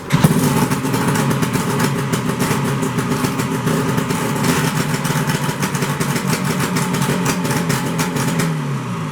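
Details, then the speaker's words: 1973 Skiroule RT 440 two-stroke snowmobile restarted after exhaust pipe popped off; raspy idle with sharp popping crackle, far too loud: exhaust leak, owner suspects missing pipe spring. "But it runs, it's loud. There's something wrong with the exhaust. I think it's just that spring that's missing."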